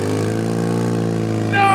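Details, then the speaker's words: Half-built turbo R6-swapped ATV, first start: fires once cranked slightly faster, then settles into a steady, even fast-idle buzz with no misses or knocks; engine running properly. "It runs. It literally just needed to spin a tiny bit faster and it fired right up. That sounds terrifying."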